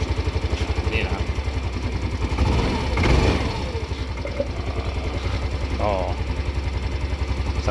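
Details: Yamaha Grand Filano scooter after valve adjustment to standard 0.22 exhaust and 0.08 intake: even low putter at idle with no valve ticking; it had been hard to start in the morning.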